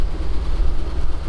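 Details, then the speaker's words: Chevy Topkick moving truck, 454 7.4L Vortec big block, 122,000 miles, not run for 7 months, very cold just after start-up: deep, steady idle with a smooth low rumble, no knocks or ticks; running nice, exhaust a little smoky, good oil pressure. "but it's running nice oh i didn't look at the exhaust yet well it's a little smoky but it's also very cold right now"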